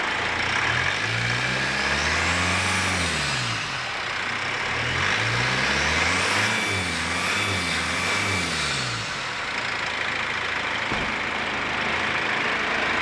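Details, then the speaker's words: 1995 Dodge Ram second-gen diesel in the Edison prototype build, first run after the install: smooth, even running with revs rising and settling cleanly, no knock or miss. Quieter and smoother than a 12-valve, like a refined 4BT. "That's the strangest sounding second gen I've ever heard. It does sound kind of like, it sounds just like a refined 4BT. It's definitely not like a 12 valve, but it's quieter and just a bit smoother, I would say."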